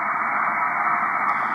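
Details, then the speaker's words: Ham radio on 20 m USB: a steady, loud hiss with no signals, noise level S7 with the preamp at 1 and S9 with it fully up. Human-made interference is swamping the receiver. "but look at that noise level that's seven and the preamps only at one if I turn it all the way up noise level goes up to S9"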